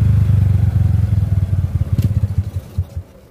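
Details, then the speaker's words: Second-generation Honda Supra Fit X stalling after throttle release: single-cylinder beat at about 150 per minute goes uneven, slows and fades as the engine dies, then refuses the first kick and restarts on the second; exhaust valve compression leak. "Nah, motornya mati, teman-teman. Tuh, waktu engkolan pertama dia nggak mau hidup, tapi engkolan kedua dia langsung mau hidup ya."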